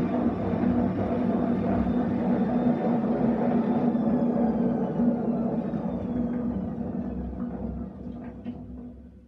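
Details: Essentials C510WM14 washing machine on fast spin with a loud, rough roar; failed drum bearings.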